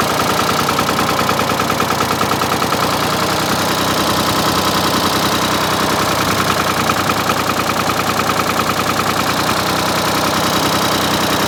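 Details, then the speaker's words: Ford 4000 3-cylinder diesel tractor before injector replacement, front cylinder misfiring so running on two cylinders: steady diesel clatter with an uneven, lumpy beat at idle; dead cylinder misfire. "So just for comparison, I'm going to fire this thing up and let it run so that way you can see what it sounds like running on 2 cylinders versus later on 3 cylinders when hopefully it's fixed."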